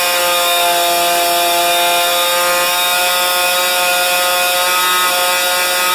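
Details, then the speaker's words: Rebuilt 50-year-old 100cc Homelite XP 1020 chainsaw, first run, no load: piercing steady high-pitched scream; tach showed max about 10,500 rpm versus the 9,000 rpm book limit, idle about 2,500; over-revving two-stroke. "oh all right it says it says on the books under uh chain interest chainsaw interest or something like that 9,000 RPMs are the highest as it should go"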